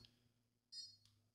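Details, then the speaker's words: Konnected GDOv2-S smart garage door controller during setup with Home Assistant, with the power plug tried instead of USB power; a single short high-pitched beep then faint chirps in a quiet room, beeping for no known reason. "I don't know what it's beeping for. It's kind of concerning."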